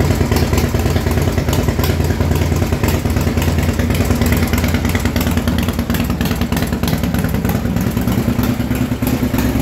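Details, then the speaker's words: 2006 Harley Super Glide Custom, 124 cubic inch, rebuilt top end, ported heads, first startup before dyno tuning, one burnt ACR noted, rubber hose on exhaust: loud lumpy V-twin idle, steady even beat, no tapping or knocking; healthy. "there you go Super Glide Custom 124 giving inch with a set of old shot heads and get her tuned next week"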